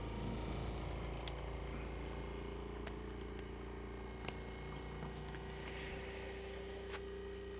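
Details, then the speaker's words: 3D-printed pulse motor on single-coil JL94 circuit, only pickup-coil rotor spinning, magnetically floating without top and bottom bearings: quiet steady hum, faint light ticking, no rubbing or grinding; much quieter, normal running. "So much quieter since I don't spin the top and bottom bearings. I'm only spinning that one, and it is floating on."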